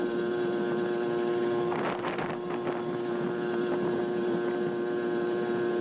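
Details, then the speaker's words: Barn-find 1981 Honda Express NC50 two-stroke moped with a Dellorto SHA 1515 carburetor, ridden at full throttle slightly downhill; a high, steady buzz holds clean with wind rush behind and no four-stroking. Normal full-throttle running. "but right here you can hear the RPMs go to a higher pitch. And for some reason it's not 4-stroking here, even though we're going slightly downhill."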